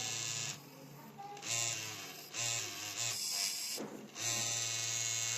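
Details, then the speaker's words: MSI Katana GF76 laptop after cleaning and thermal paste replacement: buzzing rattle in bursts over fan whir; cleaning found no blockage. "То, что он так вибрировал, это и была проблема у моего друга. Он сказал, что из-за этого он думал, что там что-то забилось, и он так вибрировал."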